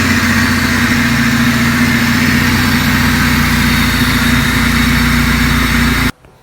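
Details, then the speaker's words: Honda Civic idling after a rebuilt cylinder head and intake/exhaust valve lash adjustment: steady, even idle hum with no ticking or tapping and a smooth beat. Healthy. "so at idle it totally sounded different it was super quiet super smooth it just seemed to just idle so much better than before I had done that the valve lash adjustment"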